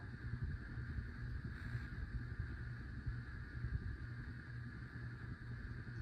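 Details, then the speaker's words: 52-inch Hunter Pro's Best ceiling fan on a single switch, not a dimmer: steady low electrical buzz under air rush from a bad capacitor, which also leaves only two working speeds; capacitor to be replaced. "It's not a dimmer switch, but the reason why it's buzzing is because it's on a bad capacitor."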